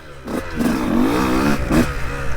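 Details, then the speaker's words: 2002 Honda CR125 two-stroke with stock jetting and a largely untouched top end, riding in the woods: revs climb lazily and hang before surging, with a delay and break-up before the power band and slow throttle response. Owner suspects jetting and porting. "such a delay before the Power Band"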